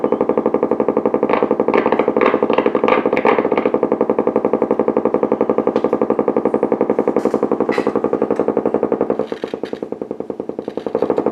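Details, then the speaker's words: Blaupunkt Florenz shortwave/AM/FM tube radio, probably 1960s, with broken dial strings; steady putt-putt pulsing about four times a second through the speaker, severe motorboating. Owner suspects a capacitor or bad connection; chassis must come out to trace it. "I'm gonna have to pull the chassis out maybe even the speaker's not an easy job might be just a capacitor to diss causing motorboating even a bad connection"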